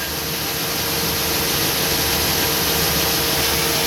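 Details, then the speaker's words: 1997 Chevy Silverado idling, heard from underneath: steady high-pitched whine over hissy idle; owner suspects fuel pump working too hard and needing replacement, not confirmed; fuel filter being checked first. "well that's the fuel pump and it's working too hard something's wrong with it and it probably needs to be replaced"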